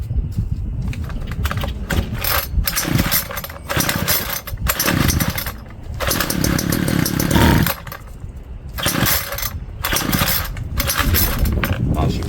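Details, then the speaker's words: Homelite string trimmer found in garbage, with old bad-smelling fuel, before carb cleaning: short ragged sputtering buzz bursts that pop and cut out between pulls; fires briefly then stalls, fuel starvation suspected, needs carb clean, new filter and probably gaskets. "popped off, that's for certain. Shouldn't have taken the fuel out."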